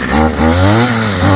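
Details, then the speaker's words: Stihl FS55 trimmer two-stroke after a new Hipa carb kit install, warm restart without choke: fires on the first pull and revs up and down with a clean, even buzz; normal warm start. "Let's see if she'll fire right up now that it's warmed up. No choke. Should be warm enough to just go. Oh, boom. Right off the rip."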